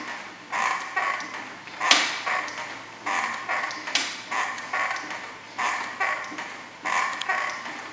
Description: Brand new Yowza Largo that was properly assembled. It started to make squeaky sounds right away. The noise seems to come from the pedals.